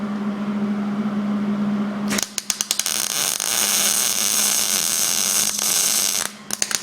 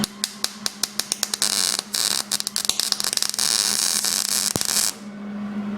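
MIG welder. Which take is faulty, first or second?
second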